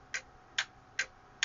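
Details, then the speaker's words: Voltcraft PS-1440 36V 40A 1440 W linear DC power supply, output on/off switch faulty: crisp single relay clicks about every 0.4 s over faint hum, but the output stays on; owner suspects burnt relay contacts. Relay clicking, output not switching. "it sounds like there is a relay, but maybe the contacts are burnt or something, because it doesn't work. I can hear it click."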